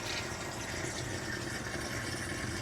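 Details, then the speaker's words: Reef aquarium protein skimmer with intake tubing pulled off: steady bubbly water gurgle over soft pump hum, about 58-59 dB versus 52-53 dB with tubing on. "you can actually hear the water kind of like the water gurgling it's much quieter with the tubing on"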